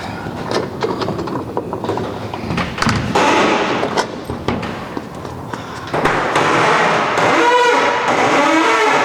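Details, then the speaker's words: Roll-up garage door with a rusty spring, after a rust penetrator spray didn't help: the door rattles as it rolls, with a high creaky squeal near the end of travel; owner fears something may snap. "you can see that didn't help so i'm gonna hit it with some white lithium now and see if we get this thing quieted down cause i'm afraid something's gonna snap in there the way it's making noise right now"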